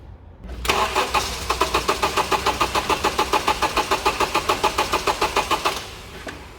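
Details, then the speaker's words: 2.4L petrol Honda CR-V, towed in for loss of power, cutting out and hard starting: steady starter cranking at about three and a half turns per second for five seconds with no catch; only about 15 psi running pressure and minimal flow, suspected blocked fuel filter or weak fuel pump. "well i was hoping to get that going so i could show you that when we actually did get it running it was still only about 15 psi running pressure and still the flow balls right at the bottom so clearly we've got not much coming through"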